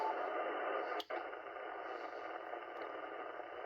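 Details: Loud broadband RF noise across the 80 m band, about 3.5–4.1 MHz: steady wide hiss and sizzling crackle with a brief dropout, coming and going; source unknown.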